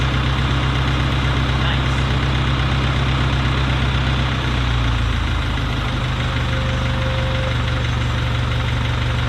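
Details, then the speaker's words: Farmall Cub tractor after carburetor rebuild, new steel fuel line and inline fuel filter, first start with choke off and a little throttle: deep steady idle thump shifting slightly with throttle, no stumbling; fuel delivery good, still needs new plugs. "oh that sounds beautiful"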